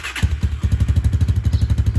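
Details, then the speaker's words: 2019 Hawk 250 single-cylinder bike, 5,862 miles, 110 main jet: cold start at low rpm, slow uneven thumps, keeps shutting off as if about to die; not burning oil unless revved hard. "you guys can tell it's cold because it keeps shutting off not wanting to run"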